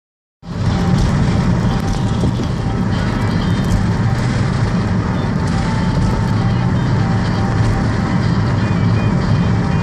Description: Car does this all the time now. Sometimes I see my head lights flicker when the revs get real low.